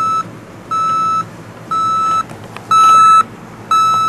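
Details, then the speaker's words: Panasonic RC-6288 clock radio alarm: shrill high single-pitch beeps, about half a second on and off, played through the speaker, not volume controllable; working as designed. "Rather high-pitched, annoying squeal. That is coming from the speaker. So that's not very useful."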